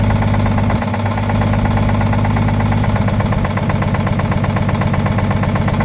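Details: Abandoned 1950 Chevrolet 3800 one-ton truck, 235 six, sat since 1977: rough idle with a deep, steady knock about four times a second under the engine drone, pointing to a worn rod bearing; the full 60% dose of oil additive did not remove the knock.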